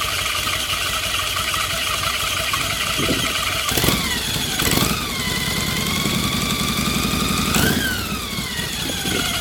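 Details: Shovelhead Harley V-twin, hot, new primary belt squeals loudly and steadily at idle, pitch climbing with each throttle blip; also squeaks when the motor is turned off. Primary belt squeal.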